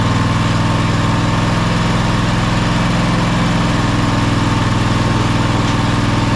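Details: Toro Timecutter SS5000 zero-turn (model 74731), Toro-branded Loncin engine, after carburettor replacement: smooth steady run with even rapid beat, no surging or hunting; healthy.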